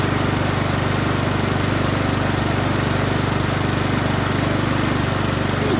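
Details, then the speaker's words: Troy-Bilt TB130 21in push mower with Honda GCV160 engine, previously wouldn't start, old oil not yet changed: crisp regular beat at steady speed, no stumbles or knocks; normal running. "sound too bad don't sound too bad let's start it up again sounds pretty good now"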